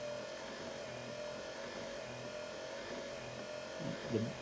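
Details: 1974 C3 Corvette washer pump, newly wired with a Painless harness, switched on with the wiper at position 1 and the knob pushed in: a faint, steady mid-pitched hum holds evenly over a quiet background; the pump runs normally.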